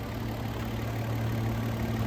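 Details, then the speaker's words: 2007 Hyundai Azera petrol V6, about 200K miles, low on oil with the oil light on: smooth, even, quiet idle with no knocks or ticks. The oil pressure sensor was later replaced and the MAF cleaned; normal idle. "Yeah, just purr. Best motor period right there."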